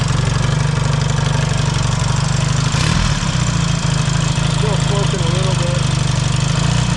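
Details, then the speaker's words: Warm Yamaha XS650 twin with carburetors reinstalled and a different 2-into-1 exhaust fitted, no choke needed. It runs a deep, even, loping idle with no knocks, misses or rattles and sounds healthy. "And I'll fire it up for you and I'll show you what it sounds like with this different exhaust on it."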